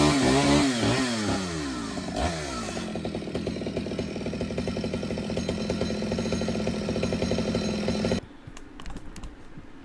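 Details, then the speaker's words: Stihl 009L chainsaw after fuel line and oiler work: revs high and buzzy, bogs steadily under load while cutting, recovers cleanly, then shuts down; it runs, oils and cuts well. "I don't know if you could hear me because I didn't have my microphone. It runs, it cuts, it oils, it cuts amazing."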